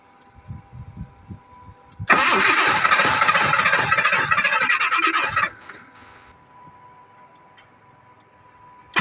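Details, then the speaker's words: 1986 Jaguar XJ6 unstarted for two years: slow, uneven cranking for two seconds, fires and runs rough about three seconds, then dies; hard starting and stalling, cause still unknown. "uh let's see what's the issue on it you see the fire has died the fire has gone off so let's start again"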